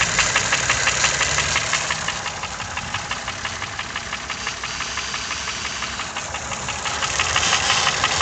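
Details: Toyota 1KR-FE engine with new timing chain, tensioner and guide: sharp, regular ticking knock about three times a second over the idle, growing as revs rise; cause unknown.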